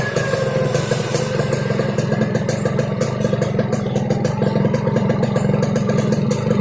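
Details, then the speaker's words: Yamaha RX King single-cylinder two-stroke running with a steady rough, raspy snore under a fast even clatter; snoring engine noise, carburetor noted slightly wet, cause not pinned down. "Oke, langsung saja kita hidupin ya. Oke, ini adalah suara ngorok Ereking aja ya, Lux Mame ya."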